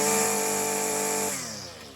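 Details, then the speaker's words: Husqvarna 128LD trimmer fitted with an aftermarket Chinese carburetor, after swapping a Torch spark plug for an NGK: a steady, even, high-pitched two-stroke buzz with no misfires or surging. With the old plug it smoked, sputtered and popped. "Perfect. Okay. As you can see, it runs mint."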